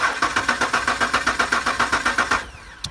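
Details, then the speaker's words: Truck that sputtered, ran rough and quit, now cranking but not starting: the starter cranks the V8 steadily at about four pulses a second and it never fires; the cause is a failed fuel pump. "Nothing. We'll have to dig deeper."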